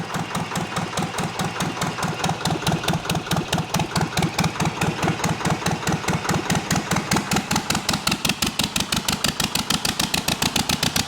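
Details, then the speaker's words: Zetor 25 two-cylinder diesel tractor, first start after full engine rebuild, glow plugs used, no exhaust manifold: loud, sharp, evenly spaced barks as it catches right away and runs steady on both cylinders, sparks from the engine; normal running. "It started right up, it's incredible. There 's a spark coming from the engine , the engine is"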